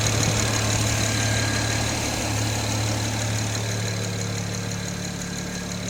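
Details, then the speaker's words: N54 engine at idle: a steady quick ticking, about four per second, over a smooth idle hum. The owner calls it ticking or knocking and asks what causes it; the source is not identified. "отсюда как слышно вот это тиканье? Что это вот такое вот может быть, а? От чего?"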